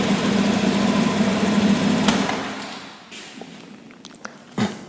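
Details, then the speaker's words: Honda Beat injection scooter: engine revs up, then sags and falters at higher throttle like running out of fuel; caused by a faulty throttle position sensor. "sudah kita buktikan tadi ketika gasnya saya juga semakin tinggi justru dia lebih menjadi Hai seperti mau kehabisan bensin games karena terjadi kerusakan pada sensor tv-nya"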